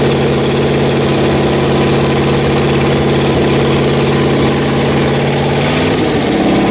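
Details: Rebuilt Pontiac 400 V8 from a 1979 Trans Am on a homemade run stand, second cam break-in after the first flat tappet cam failed: even, steady fast idle, smooth low drone, no ticking or misses; healthy.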